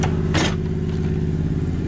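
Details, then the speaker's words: Small inline three-cylinder Tonka mini monster truck engine, choked at first start after sitting five years: lumpy, uneven putter with skipping beats and sharp bursts. Suspected dead middle cylinder, and the carb likely needs cleaning. It later fires on all three. "oh yeah baby tell me this thing just runs after sitting that long doesn't sound like it's running all the cylinders to me"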